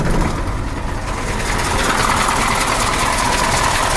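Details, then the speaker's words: KAMAZ 740 Euro 2 diesel after rebuild and valve adjustment, with oil consumption/leak: steady even clatter at idle, no extraneous knocks; engine running smoothly. "посторонних звуков нету работает ну а а а работы в принципе достаточно ровно"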